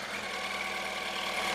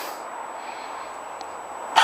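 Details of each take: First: Yamaha R1 after clutch replacement, restarted following a short ride around the block: smooth, even idle with a steady high-pitched buzz and no rattle or noise from the clutch; engine sounds healthy. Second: Yamaha R1 first start after clutch replacement with uprated Kevlar clutch: engine catches with uneven, stumbling, shaky, rattly firing pulses about four a second, then fades within two seconds; rough start, clutch free play seems okay, something rattling.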